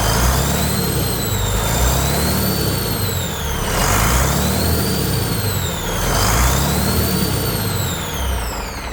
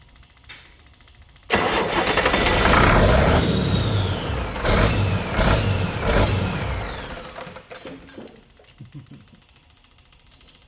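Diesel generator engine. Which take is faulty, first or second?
second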